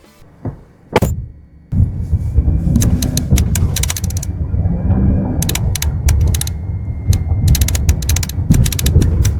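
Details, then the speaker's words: Jeep Grand Cherokee, bump rattle for over half a year, microphone at the right rear seat: loud rumbling with sharp clattering on each bump, much louder than at the left rear; interior rattle later traced to a rear seat adjustment cable. "很明显右后的声音比左后大得多，声音就像在耳朵边上响着呢，确实挺烦的。"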